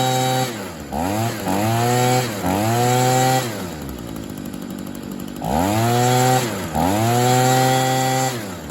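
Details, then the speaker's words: 2011 Stihl SH85 two-stroke shredder-vac leaf blower, started on half choke, after slight carburetor adjustment, new spark plug and fuel filter: revs cleanly idle to full throttle and back with crisp even pickup; didn't need a carburetor. "so by no means did it need a carburetor I will say that I did adjust it a tad bit to give it a better throttle response and everything"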